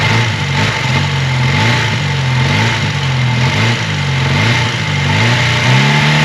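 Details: 1980 Honda CB400 T Hawk twin after restoration (carbs rebuilt, oil changed), first run on choke with fuel bottle; settles into even idle, picks up cleanly on throttle blips and drops back, no knocks or rattles: healthy.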